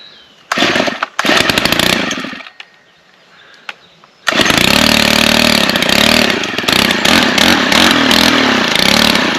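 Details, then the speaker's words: Stihl KM 90 R after short block replacement, started outdoors with choke set and primer pumped: a couple of rough pulls and bursts, then it fires and holds a steady buzzing run. Repair successful; carburetor fine-tuning planned. "that's pretty good well I'm gonna call that success"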